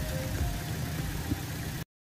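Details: Toyota Innova petrol whose droning hum came from the alternator's shorted rectifier diodes, not the engine: here the engine ticks over with a low, even hum and no stumbling, a steady healthy idle with faint music behind it.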